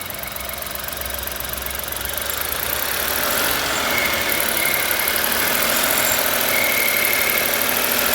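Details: 1.0 petrol car engine, warm (noise absent when cold), revved then released: thin, steady mid-high whistle riding above the engine, swelling as revs climb; whistling noise when warm, source unclear.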